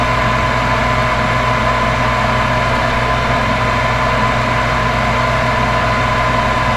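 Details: Furnace on a no-heat call, power restored after part replacement: constant even inducer motor hum, steady tone, no rattles, clicks or surging; furnace running normally through its heat cycle.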